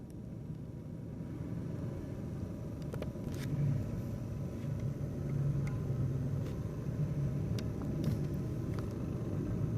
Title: why my brother's laptop cpu fan spinning too slow and its too loud noise and vibrating